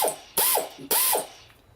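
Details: Secondhand Mobylette Motobécane relay box, turned by hand on the bench: two quick bursts of crisp even ratchet clicks, freewheel pawl engaging normally and turning left-hand as it should.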